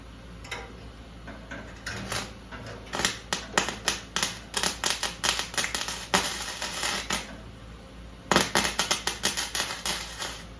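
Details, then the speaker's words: MIG welding on a 1970 VW Beetle: uneven crackling bursts with stop-start gaps as the wire feed stutters; erratic wire feed persists despite adjustments, Lincoln and Harbor Freight wire, and Lincoln, Harbor Freight and Miller tips; a poor ground is suspected, and a different ground is tried. "no matter what kind of adjustment I do I know somebody's going to say almost your wire no I've tried Lincoln wire I've tried Harbor Freight wire"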